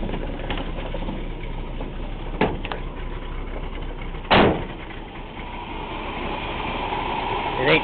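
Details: 1980 Chevy C20 HD, 350 V8 with Q-jet carb, needing spark plugs: steady, even idle with no misses, knocks or hunting, just door and handling thumps; normal idle.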